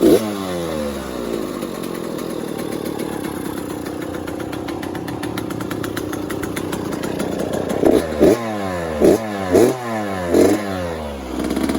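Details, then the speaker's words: Kawasaki KX100 two-stroke, first cold start after a top-end rebuild with good compression; it idles raggedly with a light crackle plus sharp throttle blips, typical new-piston noise. "wow you can hear that piston crackle that's uh what a lot of two strokers like whenever you rebuild the top end new piston makes that little crackling noise"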